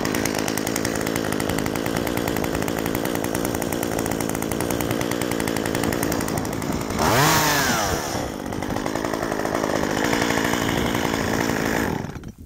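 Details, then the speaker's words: Stihl 193T chainsaw, warm, after carburettor retuned with a tachometer (previously too lean since new), about 700 rpm change: strong even high-pitched buzz, dips briefly under load and recovers smoothly; runs healthy. "Good saw now. World of difference. Just 700 RPM makes a huge difference."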